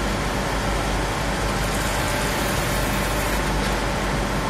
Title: CAVITATION & AERATION IN GEAR TYPE LUBE OIL PUMP